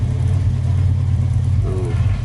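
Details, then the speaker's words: 1993 Toyota Kijang Grand Extra SSX with a non-standard exhaust, engine mounts vibrating slightly: a deep, smooth, steady exhaust burble at idle with no misses or rattles. Normal, soft-sounding idle. "suara knalpot suara knalpot ketika idel suarnya lembut ya Meskipun enggak standar tapi suaranya lembut kayak gini"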